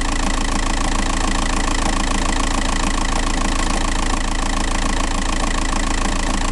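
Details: TDI 105 diesel at steady idle: even, fast knock about three times a second running through it, seemingly from the flywheel end; flywheel suspected, not confirmed.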